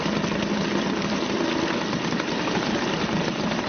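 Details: Suzuki DT 2.2 HP two-stroke outboard in a test tank ticking over after the fuel is turned off, burning remaining mixture from the carburetor (runs about 4 minutes); fast even idle, no stumbling, healthy.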